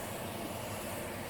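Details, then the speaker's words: Dishwasher after disassembly and cleaning, spray arm reinstalled, running filled with water during leak test: even rushing hiss with soft low rumble, no knocks or rattles; no leaks, filling and spraying normally. "We're not seeing any leaks. That means that the water's shooting up and staying in the dishwasher. That's huge."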